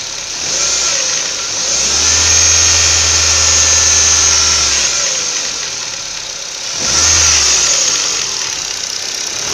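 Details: Ford Focus 1.6 8-valve: engine revs up and settles with a faint knocking under the running noise; knock inside the engine, cause not identified.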